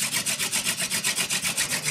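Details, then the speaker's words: Hand-drill fire friction with a horseweed spindle on a western red cedar base: even rasping strokes, squeak gone once pressure is enough, building friction and smoke toward an ember. "squeaking is gone which means now i have friction and it's starting to smoke"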